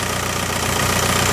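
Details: VW Mk4 Golf ALH TDI diesel after fixing P3105 rough idle: shorted anti-shudder valve solenoid wires repaired and solenoid relocated to firewall. Steady, unbroken diesel clatter at idle with no hunting or shake; normal idle.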